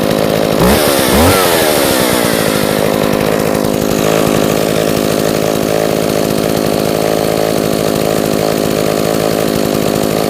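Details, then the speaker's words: Echo 452VL two-stroke chainsaw after repair, choke off, mic placed next to it, blipping once then holding a steady even buzzing idle with no stumbling or rattles; runs great, just a little smoky. "so as you can see it runs great it's just a little smoky but we can fix that"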